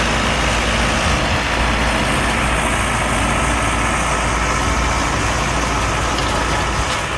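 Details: Overhauled Allis Chalmers 6080 tractor diesel on its first job after the rebuild, under mowing load from a mower deck. A steady, even drone with no knocks or misses: healthy, normal running under load, with very low fuel use.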